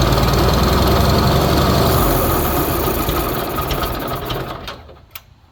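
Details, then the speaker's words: Old loader, allegedly a Bobcat 610, unrun five or six years, first start: petrol engine catches and runs rough and uneven, surging then sagging; choke lever keeps slamming shut, over-choking it, so owner plans to wire choke open. "the choke definitely chokes that's prob proba what the problem was the whole time the choke lever keeps slamming shut and he's choking it dang it almost wants to idle too"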